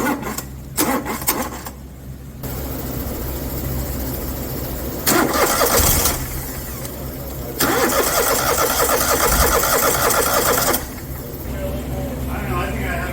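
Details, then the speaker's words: Kohler ECV 860 EFI engine fires and runs a second or two, dies, catches briefly and quits again; no fuel reaches the fuel-rail outlet, so the fuel pump module is believed bad and was replaced; starts then stalls. "got this aecv 860 and uh it's having a running problem it starts and cut off"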